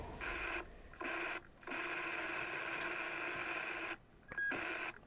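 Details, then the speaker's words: Formac 120 AM/FM 120-channel CB radio, bought faulty from eBay. Receive audio returns once the green wire is connected to the extension speaker socket; the selcall had no wire. Clear bursts of audio and hiss with gaps. Normal receive audio. "so we've got audio in some places but not in other places and if we're connect that green wire to the extension speaker socket there's our audio"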